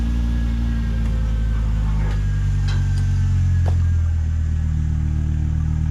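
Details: 2006 Volvo XC70 after new downpipe and full exhaust fitted, one clamp still missing: deep steady rumble swelling gently with revs, no rattles or leaks; exhaust sounds healthy and not too loud.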